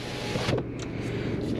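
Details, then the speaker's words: Salvage auction car, power windows tested after delivery: brief smooth motor whir as the glass travels up on each side, ending with a soft thump at the top; healthy power window motor. "i'm very happy the windows are working that goes up fine and that side that goes up fine as well"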